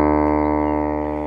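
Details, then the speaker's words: Wurlitzer Magnavox jukebox loudspeaker playing a test note sounds raspy, buzzy and fluttering; the cone sits recessed in the basket and resists when touched, limiting movement, so the speaker distorts and needs reconing. "says on this one first distorted you just touch it it's not good that's where the code should be it's resisting"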